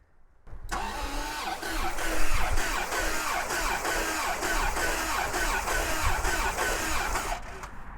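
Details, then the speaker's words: Abandoned, stripped 1989 Bentley Turbo R V8, after a problem at the fuse panel under the glove box was traced: the starter turns it steadily for about seven seconds with a regular churning beat, three to four a second. It cranks normally. "So, the engine turns over and I worked out why it wasn't."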